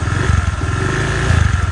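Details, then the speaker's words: Honda Vario 125 FI that suddenly stalled and wouldn't electric-start, run after forgetting oil changes, kick-started: lumpy, rough idle with heavy white exhaust smoke; scored piston burning engine oil. "Tapi mesinnya kasar banget seperti ini. Tuh knalpotnya langsung ngebul putih ya. Tuh parah banget ngebulnya. Ini bisa dipastikan ya pistonnya baret ini sehingga oli mesin langsung ikut kebakar ya."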